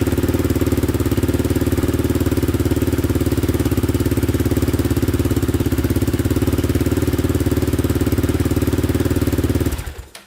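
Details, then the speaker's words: 2002 Yamaha Raptor 660 quad after repairs, with a new battery: even single-cylinder thumping idle, about three and a half beats a second, steady ten seconds, then switched off; normal idle. "all right starts right up as you can see no oil leaking anywhere so so far so good"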